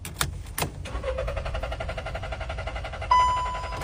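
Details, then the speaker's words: Car cranking repeatedly: starter spins steadily for several seconds but never catches, then a warning tone; owner blames a carbon-fouled oxygen sensor and cleans it; crank no-start. "Giving it another shot. Still won't fire up. Anybody know what's wrong?"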